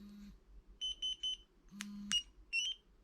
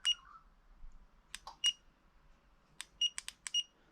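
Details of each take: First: Spy 5000 two-way motorcycle alarm locate button pressed: three quick high chirps, a short low buzz, then a rising chirp. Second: Spy 5000 two-way motorcycle alarm after installation: short high chirps in uneven singles and pairs on remote presses but no arming; alarm works but fails to arm, possibly ignition sequence related.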